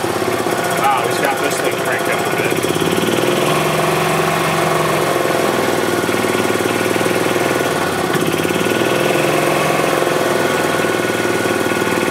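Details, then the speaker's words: 2007 Club Car Precedent gas golf cart after oil change and new fuel pump (fuel had been found in the oil): steady even putter with no misfires, running well; revs start and stop because the governor is out of adjustment. "okay so the cart runs it actually is running really good"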